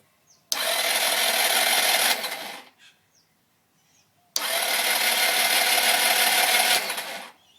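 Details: SYM HD 200 scooter with battery 12.5 V, new spark plug, working starter and full fuel: two fast, even two-second starter bursts with no firing or catch; cranks but won't start.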